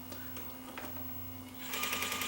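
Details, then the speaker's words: Sony EVS7000 Hi8 deck in full fast forward: steady low motor hum, then faster, lighter whirring as the tape transport spins up, without the tick-tick of cracked gears; normal fast-forward transport sound. "anyway that's how it's supposed to uh run"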